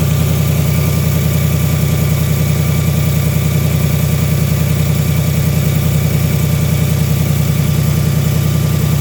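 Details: Brand-new 2018 Ford Mustang GT, gen 3 Coyote V8, on dealer lot: smooth steady idle with light even tick over the engine note; owner believes it's a common, harmless Coyote noise, cause unconfirmed.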